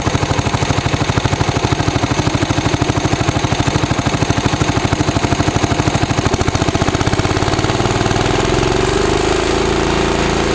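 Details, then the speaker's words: 1965 John Deere 110 round fender with a 4-speed transmission, started in neutral after a new fuel line, new fuel filter and an oil change, with the carburetor not cleaned: fast, even single-cylinder popping that settles smoother. The engine runs healthily. "So I'm gonna give it a fire up for you guys. You can hear that motor. Make sure it's neutral. Pretty good engine."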